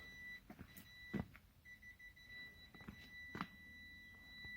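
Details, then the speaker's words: Ford Transit van, newly fitted reversing parking sensors with beeper unit temporarily stuck in the door: steady high-pitched near-continuous beep with short breaks; sensors working. "that's walking sensors so uh the actual little head unit uh beeper things just stuck in the door there for now but uh yeah it's uh it's working so I'm pleased about that"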